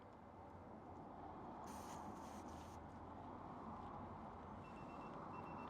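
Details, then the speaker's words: Citroen Ami after fitting an aftermarket tyre pressure monitoring system, sensors reading about 1.9–2.1 bar: short high-pitched beeps over a low car hum; the monitor warning that tyre pressure is low. "That's it beeping. I'll go and check inside, see what's happening."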